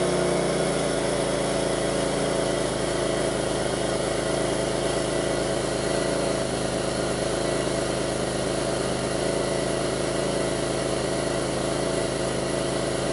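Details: 2002 Pontiac Grand Prix 3800 with rough idle and bogging, no check-engine light, alternator overheating and a faint intermittent thump pulling the idle down: mid-pitched idle drone with occasional faint uneven thumps. Rough idle, cause not pinned down.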